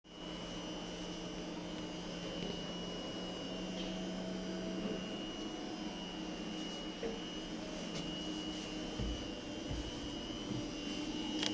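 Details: SMA STP X 20 solar inverter: a steady roar with a high whine near 3 kHz and low hum tones; abnormal noise, cause unknown.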